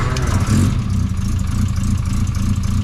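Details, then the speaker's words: 1973 MG Midget four-cylinder after reseating a loose spark plug lead on the distributor: runs at a fairly even idle after a short blip, no obvious stumble; ignition now firing cleanly. "Sounds a little better. Sounds like it's jammed out. I think one of them was loose on the distributor."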